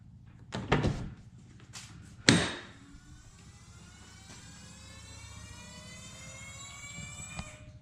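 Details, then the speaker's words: Alfa Romeo 4C that won't start: a clunk, then a thin electric hum rising in pitch and holding steady for several seconds, heard just after the battery's negative terminal was tightened; the fuel pump primes cleanly and sounds healthy. "the primer again that sounded pretty healthy and if this does start it's gonna sound really good"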